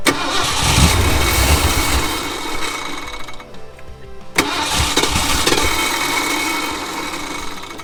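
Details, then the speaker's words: Flamed Ford F-100 bullnose V8 sat outdoors 11 years: even cranking about four beats a second with brief half-catches that die away; fuel starvation, in-tank fuel pump found not working and not delivering enough fuel to the carburettor. "it's not pumping enough fuel out of a carburetor after a lot of mucking around and diagnosing and testing check this out guys turns out that the in-tank fuel pump is not working and this is the reason why it is absolutely putrid"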